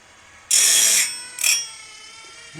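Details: Woodland Mills RS30 Pro sawmill blade sharpener: short, thin, high-pitched grinding bursts with only light contact, because the grinding head is set too high and the wheel barely touches the tooth.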